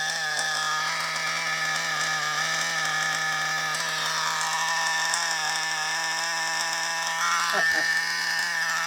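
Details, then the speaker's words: Used FTX Carnage nitro RC car after failure, owner suspected one-way bearing: high-revving raspy, hissy uneven buzz; large exhaust leak at top of manifold, finger over exhaust changed nothing. "So we've got quite a large exhaust leak at the top of that manifold there. So that's that problem. That's the reason why that's doing that."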